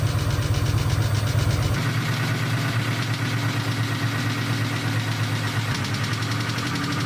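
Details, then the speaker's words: Ford 4.6L 4-valve 2003–04 Cobra (Terminator) engine at startup: it catches and settles to idle with an uneven knocking tick, roughly three per second. Piston damage knock; a teardown and possible rebuild are planned. "this is actually the engine that Blake originally put in its convertible started up had some knocking ticking noise"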